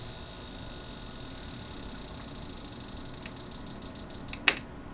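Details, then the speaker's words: Dell PC's Limited 286 at first power-on: a high whine, then irregular clicking that grows louder and ends in a pop as a tantalum capacitor explodes; the clicking is suspected to be overcurrent protection. "Well, that noise does not sound good. And off camera, one of the tantalum capacitors actually exploded."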